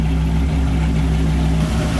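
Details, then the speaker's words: 2000 Dodge Viper GTS with a rebuilt Tremec T56 manual transmission, which clicked as if it had rocks in it before the rebuild. In first gear with the tires spinning, a steady, low, smooth drivetrain drone with no clicks or grinding. "okay nothing bad's happening yet so i guess that's a good thing [Music] first gear tires are spinning"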